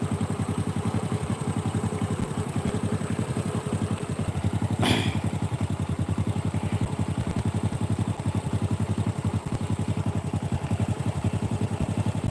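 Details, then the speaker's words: Honda Supra 125 single-cylinder idling after service, with an even, steady idle thump of about three to four beats a second and no knocks, ticks or rattles: normal idle. "ini suara mesinnya standar ya super servisan kayak gini"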